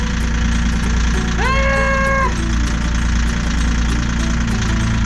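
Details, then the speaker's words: Yanmar diesel boat engine, cold start after cleaning the injectors and bleeding fuel: deep, steady rumble with even light clatter, no stumbling or hunting; normal idle. "Yeah, it's working. It's starting. Nice. Listen to that. It did. That was cold."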